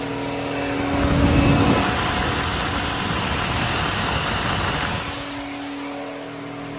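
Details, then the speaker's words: 2009 BMW 328i at idle after start-up: cooling fans kick on and roar at full speed, drowning the smooth idle, a failsafe because the electric water pump has failed; codes for electric water pump shut-off and speed difference, check-engine light off. "check this out listen to this it's going to kick on there it [Music] is fans are running at a full"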